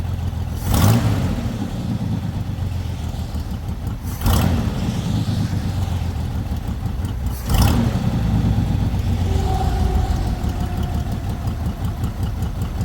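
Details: Lowrider V8 after the dipstick oil leak repair, now no longer leaking from the dipstick: deep, steady rumble with three quick throttle blips that drop straight back to an even idle. It reaches idle faster than before. Normal idle.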